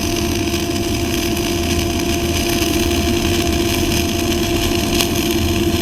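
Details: Kemppi X5 MIG-MAG set at 180 A, 23.5 V, dynamics 0, 1-MIG synergic mode, flux-cored wire, Messer C18 gas at 10 L/min, vertical fillet weld: steady frying sizzle over even buzzing hum, never stutters; normal stable arc.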